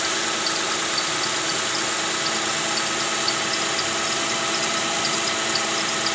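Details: Toyota Camry 2GR 3.5 L V6 at idle, louder with AC on: sharp high chirps about twice a second from the belt drive; tensioner bearing worn and spring weak, cured by replacing tensioner and fan belt.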